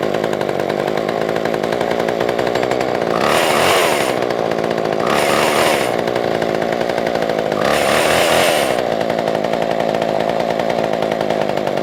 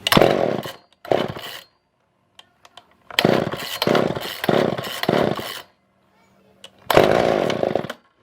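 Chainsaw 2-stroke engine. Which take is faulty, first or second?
second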